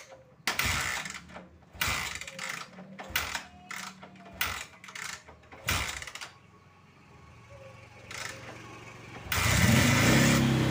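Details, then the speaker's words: Honda Tiger motorcycle that needs choke to start: repeated stuttering start-up bursts that die, then a rough, struggling idle. The misfire at low rpm and stalling are caused by a counterfeit spark plug. "terus ter tak cek ternyata businya itu palsu ini juga akan mengakibatkan kendaraan itu bisa bbet di posisi putaran awal ataupun langsam terus bisa mengakibatkan matimatian"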